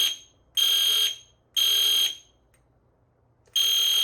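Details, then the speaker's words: EST Fire Shield demo fire alarm system with panel silence pressed so only the horn sounds: piercing high horn blasts, about half a second each, in repeating groups with a longer pause. Horns sounding normally. "We can hit panel silence, so that it's just the horn."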